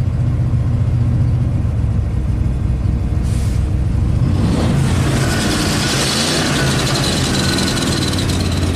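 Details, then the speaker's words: 1996 Ford F-250 7.5L big-block V8, freshly rebuilt after a head gasket coolant leak (new pistons, rings, camshaft), after a cold start: uneven, lumpy running that stumbles and drops cylinders, stalls when revved; flooding and lost compression suspected, cause unconfirmed. "so it looks like it's dropping out cylinders foreign State running no not quite really really rough you rev it up and it stalls out it's like it has no compression is it flooding itself out"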